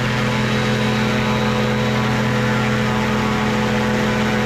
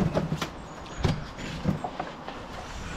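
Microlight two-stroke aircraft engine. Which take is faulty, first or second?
second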